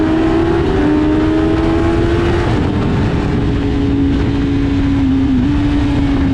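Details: Motorcycle on track at high speed: steady engine drone with a thin, constant whistle-like tone; owner suspects dirty chain or loose ram-air duct not sealing on right side; no noise later at idle or through gears.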